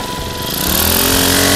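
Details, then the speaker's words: Honda GX35 four-stroke grass trimmer engine after fitting a new genuine carburetor and new fuel lines (crumbling air filter found): picks up cleanly and settles into a steady, high, even buzz, no stumbling or surging; normal running. "OK，那我们装完新的化油器上去啊，你看它的这个油路的顺畅度马上就恢复了，哦，整机的运转也都很顺畅，"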